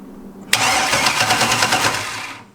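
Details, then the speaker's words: Budget LS V8 Mustang drag car, first turnover via bump button with intake sealed, fluids filled, oil cover off: brisk, even compression pulses as it spins on the starter for two seconds; sounds healthy; normal cranking. "yep sounds healthy"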